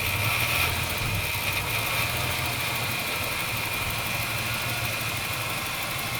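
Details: 1996 Ford Falcon EF 4.0L inline six: uneven idle with irregular stumble under a steady hiss, in park, neutral or drive; smooth under load, compression in spec, no vacuum leaks. Idle misfire.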